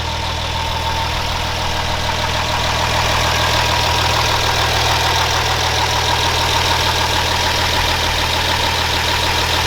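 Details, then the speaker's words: 2006 Ram Cummins diesel idling after replacing the tensioner, idler and alternator to cure a belt squeak; even, fast clatter smooth like a sewing machine, no belt chirp, now like a regular street truck. "and no belt chirp ah so nice so nice it's like a regular Street Truck"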